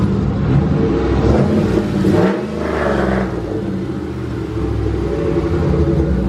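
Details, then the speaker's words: Turbo Mustang Bullitt with an On 3 Gen 1 kit, after resealing the flanges and V-bands. The engine pulls through the revs with a smooth rising rush and deep rumble, no ticking, spooling below 4800 rpm. Normal turbo spool. "all right guys the car is actually way better I haven't heard turbo noise like that in this car in a long time it's actually spooling below 4800 rpm"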